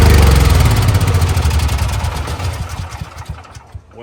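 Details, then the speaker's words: CAT RP7500 generator that sat unused and would not start, electric start on a fully charged battery, choke out, fresh fuel: catches at once and settles into a steady, even low thrum with no misses or surging; normal start and run. "as simple as that she fires right up I went ahead and turn the fuel off I have a little bit of fresh in here obviously and uh that's it I think she's all ready to go"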